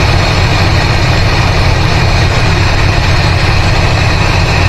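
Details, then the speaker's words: 1985 GMC C25 with 454 7.4L V8 and Turbo 400; loud, low idle with an uneven thump; unplugging plug wires barely changes it; owner suspects the spark plugs and plans to replace them next; dead-cylinder misfire at idle. "I just uh took it up the uh driveway a little bit and uh got some serious sign issues. So, I got two disconnected already and it's basically the same."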